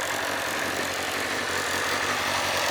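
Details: 2007 Kawasaki ZZR600, carbureted DOHC inline four, said to be mechanically tip-top with new fork seals, rubber and cush drive; exhaust took a hit. Smooth, even idle with a steady fast patter and no ticks or knocks. Normal warm idle.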